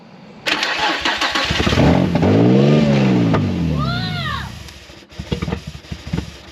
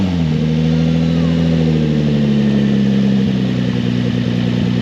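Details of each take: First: Nissan 350Z with a swapped VQ35DE, first crank with clutch pressed, no coolant, no power steering and no intake fitted: fires, revs roughly, then sags and dies after a few seconds. It won't stay running without the intake. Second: Nissan 350Z with a swapped VQ35DE, test run with no exhaust fitted: loud, raw, steady idle with a deep even throb and a slight dip in revs. Engine running fine.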